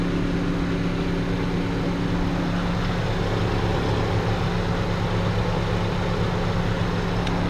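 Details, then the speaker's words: 1997 Saturn SL2 after radiator replacement (failed belt tensioner had caused severe overheating): warm idle, cooling fan on at 5/8 on the gauge, smooth even hum with a steady fan rush, no knocks or squeals, no leaks. "It just kicked on the cooling fan at 5/8 on the gauge. It's running"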